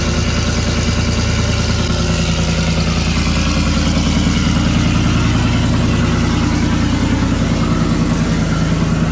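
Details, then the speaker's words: 2018 GMC Sierra 6.2L V8 cold start after Kooks long-tube header and off-road Y-pipe install, exhaust cutout open (louder than through muffler), no air filter fitted: loud, deep, steady burble with even pulses, no knocks or misses; normal cold idle. "i guess it's time for a cold start uh just keep in mind i did not put on my uh cut out as you can see it's it's open so this is gonna be louder than it would be with the club with the cutout closed which will go through the muffler"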